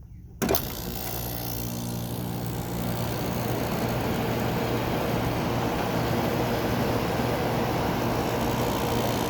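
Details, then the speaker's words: Kenmore window air conditioner made by White Westinghouse, 7000 BTU, built in 2000, on constant cool on a hot day: a click, then compressor and fan rise to a steady, even hum with no rattle; a normal, quiet startup. "that compressor gets pretty quiet yeah it gets pretty cold and also pretty quiet too"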